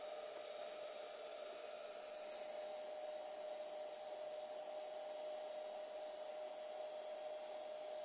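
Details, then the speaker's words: Sony video recorder at its very first power-up on 220 V: a steady airy whoosh and constant mid-pitched hum from a worn cooling fan, louder than the quiet hard-disk bearings. "j'entends le disque dur les roulements sont silencieux le ventillo veut plus de bruit que les roulements du disque"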